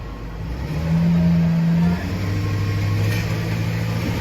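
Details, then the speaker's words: Ford truck V8 under light load after swapping spark plugs 4/5 and ignition coils 4/1: low drone, uneven lope with missing beats. Dead miss on cylinder 1, slight miss on 5, from a failed ignition coil. "Dead miss on number 1, a little bit on number 5."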